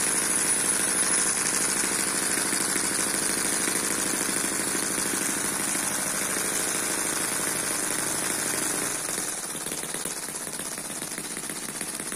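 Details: Eachine EM1 (same as M14) four-stroke opposed double-piston mini engine, not meant for high speed. High, fast, even sewing-machine buzz holds steady, then eases off slightly; tilting changes the carburetor fuel level and the speed. Normal smooth running.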